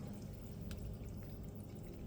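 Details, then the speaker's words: Siemens S7-1200 PLC fluid-control demo panel: the solvent pump is switched on and runs normally with a low steady hum and trickling water, then shuts itself off when the solvent tank briefly reads a low level. "So if I hit that, it will turn on. Should be able to briefly hear that in the video."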